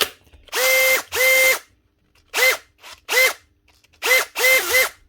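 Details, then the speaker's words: Heavily used factory Makita DHP483 18V compact drill before repair: short bursts of a high, gritty whir with a squeal on each run. A bearing is suspected gone or rubbing, and the faulty switch gives no variable speed. "Pretty sure this is brushless. Sounds like there's a bearing gone, or at least it's rubbi"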